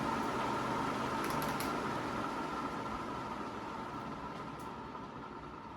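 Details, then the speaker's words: Used 36-inch Moss Caribbean Breeze ceiling fan coasting down after switch-off: a fading hum with a soft, regular stepping rumble underneath. The bearings are worn out; greasing is not expected to help. "and it's got a decent spin down but those bearings are just worn out the Scottish Hardware the same issue it's got that step step kind of noise to it"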